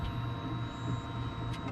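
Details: 2020 Polaris RZR 1000 XP High Lifter after All Balls fuel pump replacement, key turned on: short, steady electric whine at one even pitch over low hum, no rattle; new pump priming normally.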